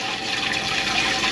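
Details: Laundromat drain line newly hooked up for a new washer, water running down; steady, even rush through the line with no gurgle or backup; drain flowing freely.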